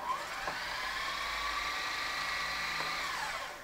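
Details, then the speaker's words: Sony SLV-N700 VHS VCR after cracked gears were repaired with Dremel and hot glue, tape test: smooth, even high whir with steady pitch, no catching or grinding; normal fast forward. "fast forward great rewind"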